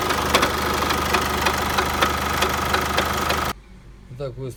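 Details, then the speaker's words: Chevrolet Captiva 2.2 diesel at idle: heavy, uneven knock about three times a second from the sump area that fades with higher rpm; cause found to be a cracked flywheel after pulley and alternator clutch were ruled out, aluminium shavings found in the oil pan. "вот наконец-то нашли вот она трещина маховике вот она показывает трещинка него"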